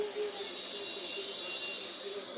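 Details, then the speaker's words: Refrigerator being recharged with refrigerant: steady high hiss of gas entering the system, pressure at exactly 2 psi; condenser side warm, other side cold, working fine. "can hear the gas entering into the system. You can see that our pressure is at exactly 2 psi."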